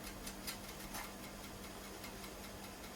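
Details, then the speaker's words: Amstrad PC1512 first power-up, booting a 720K disk in a 1.44MB floppy drive: faint irregular light ticks and clicks over a quiet hum as the head steps trying to read the disk; floppy drive head seeking. "ah what does at least seem like it sounds like it's trying to read the desk"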